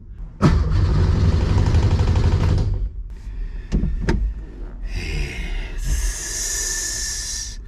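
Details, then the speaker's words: Subaru EZ30R-swapped Porsche 911: starter cranks evenly about four turns a second for two seconds but never catches, and no fuel pump is heard; crank no start. It later started after the e-brake was set, with no real explanation found. "why is the fuel pump not working now I don't hear it when I start it I don't hear it"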